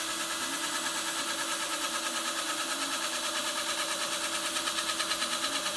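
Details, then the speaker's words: Drill-spun cue tip install without a lathe, trimmed with a blade. Thin drill whine with a steady pulsing thump about three times a second because the tip sits off-centre on the shaft and one side hits harder. "That noise you're hearing, the wobble, is because it wasn't seated totally flat. Or sorry, centered on the shaft. So one side's hitting a little harder than as it spins around."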